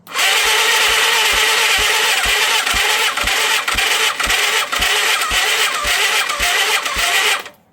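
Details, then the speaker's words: 1987 Yamaha FZR1000, abandoned 16 years (8 in a barn, 8 outside), cranking on its own battery during a compression test with the gauge reaching only 6: labored, uneven cranking with about two compression thumps a second, never catching; slow cranking, starter suspected short of power, jump box next. "Okay, it's gone up to 6, but I think it needs a bit more power. So I'm going to go get a jump box. I'm surprised the battery actually turned it over though."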